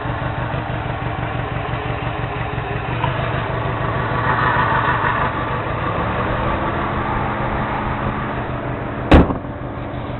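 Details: 2002-03 Subaru WRX EJ205, warmed up, idle with lumpy uneven beat under low clatter and one sharp knock near the end; cylinder 3 misfire, spark plug ruled out, engine shakes; supposedly a cracked valve.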